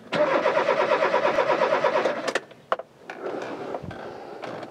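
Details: Rover 216 Cabriolet: the starter spins the engine evenly at about three compressions a second for two seconds without firing, then stops. It cranks but won't start after four gallons of fuel were added and the fuel gauge still isn't moving. Owner suspects fuel pump pickup or plug.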